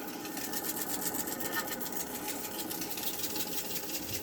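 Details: Hitachi washing machine, lid opened so door switch cuts power; spin brake was broken and removed: rapid rhythmic whir keeps coasting down with nothing stopping it; spin tub coasting without brake.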